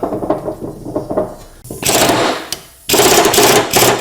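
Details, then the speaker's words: Toro Time Cutter zero-turn mower, deck removed at yearly service: a 5/8 blade spindle bearing turned by hand gives a rough, gritty, uneven grinding rattle, really bad; worn spindle bearings need replacing, plus a new pulley on one spindle. "That one there sounds bad. So I got to put some bearings here, here, and get a new pulley for this one right here. These are a 5/8. This one's really bad."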